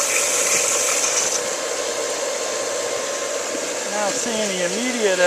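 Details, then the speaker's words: Challenger 1.5 hp pool pump and motor after shaft seal and bearing seal replacement to fix a water leak: even high whirring hum, no knocks, grinding or surging, pulling water in; pump leak appears repaired. "nothing caught on fire nothing sparked it's always a good sign it's pulling water in that's a good sign"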